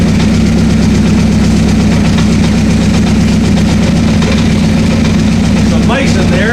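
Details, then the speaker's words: 1984 Honda CB700SC four-cylinder, first run after fixing a no-spark fault, choke off: deep, steady exhaust drone with even beat and no misses; debris blowing out on the right side; all four cylinders firing, no carb leaks. "carbs are not leaking all four cylinders are we got Spark all four cylinders are running"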